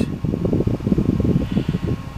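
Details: Small 12 V DC computer fan powered from 39–40 V AC through a one-phase rectifier and a single-BD139-transistor series regulator, running normally: steady low whirring hum with a soft fluttering pulse, even and unchanging.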